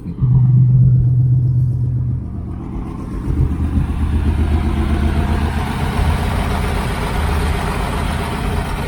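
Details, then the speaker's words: 1980 Camaro Z28 V8 just started after fitting a new knock-off Holley 4-barrel carburetor: fast, even idle well above normal; idle set too high, needs adjusting down. "Guys, you started right up. Heat. Heat. They might get that idle down a little bit."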